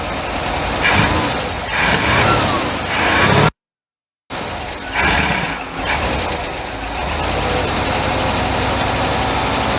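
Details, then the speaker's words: International Harvester LB 3–5 HP engine with choke propped open: cranks, catches, then runs uneven and lumpy at idle with irregular firing, won't stay running; smoking has eased; flooding from a suspected hanging carburetor float. "well it won't even stay running now with the choke open but it ain't smoking like it was but it's still running pretty dog"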